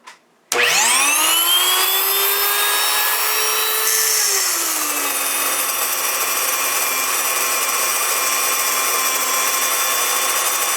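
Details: Wondermill electric grain mill, first use: motor whine climbs sharply at switch-on, then settles into a steady, loud, even grinding roar; normal milling with no knocks; mill gets hot.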